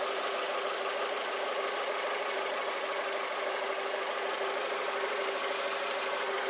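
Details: Lada Vesta SW Cross at idle: smooth, even hum with no knocks or stumbles, just a steady whir under the hood; a healthy idle.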